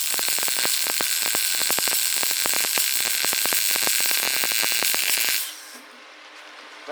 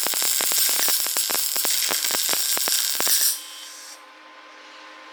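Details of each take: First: New Lincoln 180i MP DV MIG welder, heat raised from 5 to 7, wire speed possibly a bit fast: steady frying crackle with quick, even pops for about five seconds; a proper, smooth weld arc, weld slightly hot. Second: New Lincoln 180i MP DV MIG welder, DC+, steel wire, 100% CO2, loosely wrapped spool: arc crackles and pops unevenly then cuts out as wire jams and plugs nozzle; suspected wrong contact tip (35 instead of 25).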